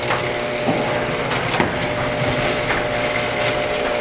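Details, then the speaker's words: Garage door pushed by hand along its tracks after releasing the opener's manual release from the worm drive: steady rolling rumble with scattered rattles and clicks from the door itself, not the opener. "NOT YOUR HEARING JUST THE GARAGE DOOR NOT THE OPENER MAKING ANY NOISE IT'S JUST THE DOOR ITSELF RAMBLING"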